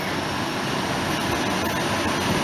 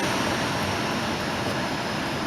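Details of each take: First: 2005 Volvo S40 heater blower motor just after the new one was installed: a steady, even rush of air with no squeal, ticking or rattle. The earlier loud noise is gone and the fan spins normally. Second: 2005 Volvo S40 after blower motor install: steady rushing air with no rattle or motor whine, lots of noise from the damaged recirculation flap housing rather than the new blower.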